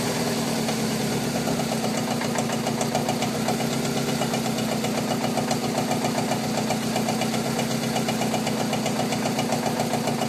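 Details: VW Golf 4 1.6 16V engine, code BCB: steady rapid tapping of about three to four knocks a second over an even idle; engine knock, cause unknown.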